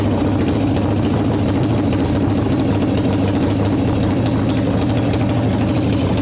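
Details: 1995 Harley Evo Softail V-twin, first start after rebuild: loud lumpy idle with choppy uneven firing, revving up; owner suspects intake air leaks, janky idle screw, possibly ignition issues; rough idle.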